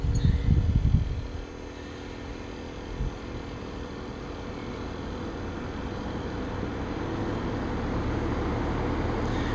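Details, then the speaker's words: New Carrier Infinity outdoor unit first run: after a few thumps, steady smooth low hum as the variable-speed permanent-magnet compressor runs, heat already felt; fan blades wiggle deciding spin direction; normal. "i can feel the heat coming off of it already from the compressor running"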